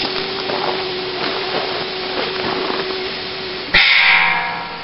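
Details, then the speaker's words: On-farm natural gas compressor, a German-built 4-cylinder unit adapted for natural gas, being shut off. The engine hum stops abruptly, then a sharp hiss of gas vents out through the gray exhaust hose and fades: normal gas venting after shutoff. "if you'll uh listen when I shut this off you'll see the the little Vapor coming out of that gray exhaust hose"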